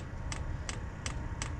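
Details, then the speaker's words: Hcalory TB1-SE diesel heater during first start on a 15°F morning; crisp regular ticking about three times a second over faint fan hum as it tries to light, no heat yet; error 10 followed, cause unconfirmed. "Oh, I hear something. What's that? Is that the lighter getting it lit? No heat coming out yet. All right, it's getting faster. Listen to that ticking"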